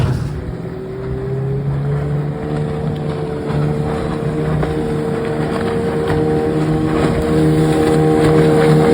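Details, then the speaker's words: 1996 Johnson 15 HP outboard (J15RE), warmed up after a stuck thermostat that caused overheating was replaced with a new gasket: steady drone with even tone climbing as the boat gets under way; runs smooth and healthy under load. "I had to order the part change the part and the gasket and she runs great"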